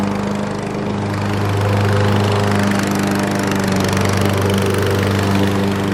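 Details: Fairly new Craftsman 7.0 mower, formerly a no-start with air filter missing, running after repair with air cleaner refitted: single-cylinder holds steady even mid-pitched drone, no misses, burning off a little oil; running properly.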